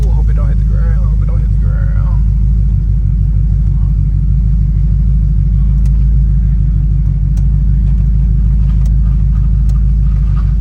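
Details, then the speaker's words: Ford Crown Victoria idling after exhaust leaks were fixed: smooth, even low rumble with a steady beat and no ticking or puffing from the exhaust; normal idle with sealed joints. "say I'm back normal it's sound better cuz it ain't got all that exhaust leak noise I ain't going to lie to [Music] you"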